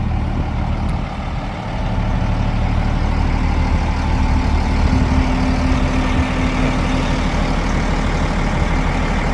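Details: CAT 966H loader after a no-start, with a temporary test ECM from another machine and a new turbo sensor: deep, steady diesel idle with an even low rumble, no misses, knocks or hunting; running healthy.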